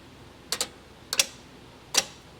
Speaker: Ah, okay. I'm not sure if you can see that, but uh you can definitely hear it. That's that's the compressor clutch. So, those circuits are working.